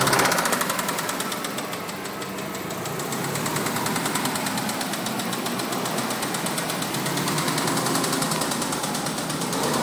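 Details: 2004 Subaru WRX flat-four running with a rhythmic knock beating through its busy, clattery sound: rod knock.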